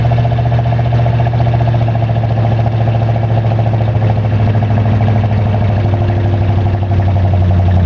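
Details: 1985 Chevrolet Monte Carlo SS V8 cold start, car sat 14 years, burns oil, electric choke broken: steady low rumble with fast even tapping; owner suspects rod knock but isn't sure.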